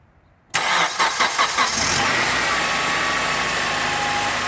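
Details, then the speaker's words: 2003 Honda Accord with the K-series 2.4L four-cylinder, just after serpentine belt replacement: a quick crank catches and settles into a steady, even idle with no belt squeal, chirp or slipping off a pulley. "all right sounds like we're good so what I was listening for immediately was to see if the belt may have potentially slipped off a pulley or caught on something or squealing"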